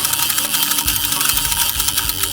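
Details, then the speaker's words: Mamiya C330 medium format 120 camera, film advance crank at the end of a finished roll: rapid, dry ratcheting clicks, roughly a dozen per second, steady and bright, as the crank winds freely. "I actually finished a roll of film on purpose. I left a couple shots open because I wanted to demonstrate it. So this is what it sounds like"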